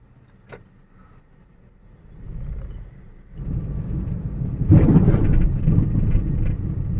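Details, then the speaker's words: 2008 Toyota Yaris type E on a road test over rough road: cabin rumble and a low droning hum that builds with speed, no knocking; owner suspects the rumble comes from the tire tread pattern and the thumping from worn strut bearing mounts. Cabin rumble while driving. "Hmm, agak berisik di dalam kabin sini. Ada bunyi gemuruh, ada bunyi gluduk-gluduk."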